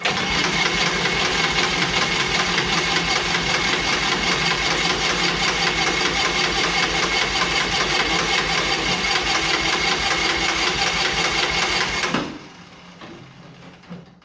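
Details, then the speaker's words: John Deere Model R pony starting motor, first start after reinstall: steady, even cranking about 2.5 beats/second for twelve seconds, never fires. Fuel valve not fully on, ether added; owner suspects fuel on-off valve position, unconfirmed. Cranks but won't start. "Fuel's not on all the way. Put a little ether down the yap."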